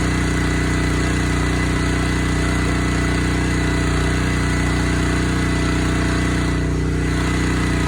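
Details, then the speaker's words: Honda GX160 single-cylinder on Splitfire wood splitter, previously bogging when splitting, after carburetor clean and oil top-up, choke half on: steady, even putter, no surging, hunting or stumbling; sounds fine, normal clean idle. "Sounds like it's fine."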